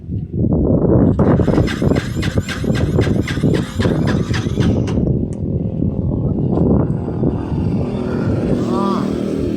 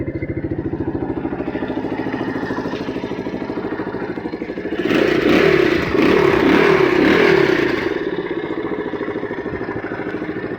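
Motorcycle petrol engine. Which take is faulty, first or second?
first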